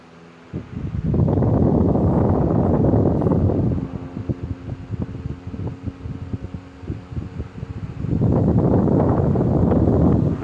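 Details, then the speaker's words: 1925 GE AOU AE1 oscillating desk fan, before restoration, gearbox on assembly lube and a little grease, medium to high: smooth airy whoosh rising and falling with head sweep, no ticking or grinding; healthy. "Just running on assembly lube and a little bit of grease in the gearbox at the moment, so it'll be even smoother once the restoration is done."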